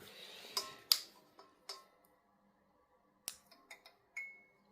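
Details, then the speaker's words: Osram NEOCRIS circline fluorescent fixture, 1×32W G10q tube, 2000s, little-used original tube: light irregular dry ticks a few per second from the glow starter, then quiet as the tube lights; normal starting. "Puis on entend bien le starter démarrer."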